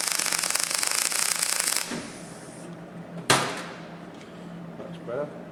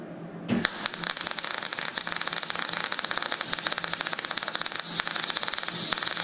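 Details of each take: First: MIG welding a fabricated sill test piece after raising the wire speed; about two seconds of steady crisp frying crackle, a good bead coming through; normal MIG weld. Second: so here by that wire speed's a little bit low so i'll have to uh amend it so i'll give the wire speed up a little bit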